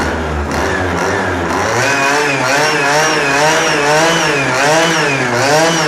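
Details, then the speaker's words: Pocket bike two-stroke with Dellorto SHA 15mm carburettor, first start on oil-rich fuel with some smoke and a small exhaust leak; high buzzing revs blipping up and down freely, picking up cleanly: normal running. "Yeah, baby, she runs! Now there is some smoke right here. Of course, it is with the bad fuel, not really bad fuel, but more rich oil fuel. But she sounds absolutely amazing. It sounds like a proper bike right now."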